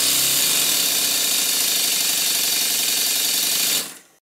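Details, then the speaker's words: Twin-cylinder model steam engine tested after correcting one slide valve, with the other valve still unmodified: hissy, fast exhaust beats with some unevenness. Uneven cylinder power caused by the wrong-length slide valve. "i can both hear and feel the difference between the two cylinders now there wasn't as much power coming from this side of the engine"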